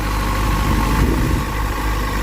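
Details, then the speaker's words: Motorcycle idling after rewiring the rectifier past a burnt connector; no voltage spiking, wires touchable. Steady, even idle throb holding speed, no misfires, ticks or rattles; clean, normal idle. "so I'm going to let this run for a bit here just [Music] idle sounds healthy"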